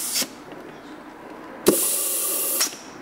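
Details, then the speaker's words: Rolls-Royce Silver Cloud II GM Hydramatic 4-speed transmission on the bench, compressed air applied to a valve-body port; sharp hiss with a distinct pop as the clutch pack applies, then steady hiss until release: clutch pack applying normally. "you can hear inside there are clutch packs you can hear it pop and means it's"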